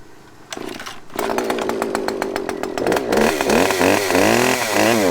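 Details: Husqvarna chainsaw said to need carb work, started on choke: fires with a sputtering, uneven rhythm and revs up and down unsteadily; suspected to need a carburetor tune; adjustment screws have limit stops.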